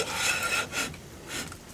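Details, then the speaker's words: Drum-brake wheel hub spun by hand, with the wheel bearing feeling good and greased. A soft scrape comes and goes each turn from light shoe drag in the drum. Normal drum brake drag. "rough spot on the brakes that's that's brake Dragon there that's that's just fine that's what you want to hear actually with drums there's a little bit of drag"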